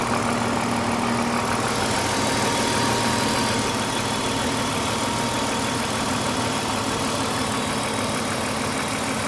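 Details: Idling engine with oil just checked at the max line: a light, fairly quick tick of roughly three per second that isn't perfectly even. The owner suspects a lifter tick, but this is unconfirmed.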